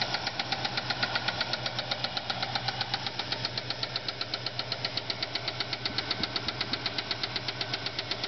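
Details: Ford Fairlane V8 idling: sharp steady top-end lifter tick; no oil reached the heads, spun camshaft bearing flattened a cam lobe and ruined a lifter.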